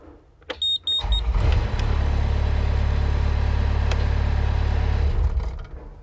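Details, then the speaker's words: Mustang's engine during a repair attempt on the seatbelt safety switch circuit: the engine catches and runs evenly for about four seconds, then dies abruptly. The attempt failed, and a fault inside the switch itself is suspected. Engine cuts out. "right okay so that didn't work so what does that mean that means that uh probably that was that one and that one does that one there could actually be a fault inside the switch itself inside there"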